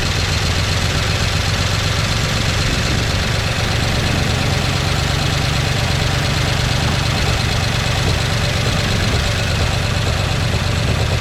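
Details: 1969 Chevy C10 engine with an oil pressure problem, started with carb cleaner after slow cranking; gauge barely moves, then drops. Steady loose clatter over rough idle, no clean rhythm, low rumble beneath; rattle suspected from oil starvation.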